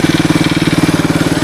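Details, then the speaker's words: Suzuki DR200ES single-cylinder motorcycle, first run after acquiring, air filter refitted, temporary fuel line: even, steady thumping of about twelve beats a second, no knocks or misses; idles okay, normal idle. "i mean it seems to idle okay she seems to wind up those are all good things"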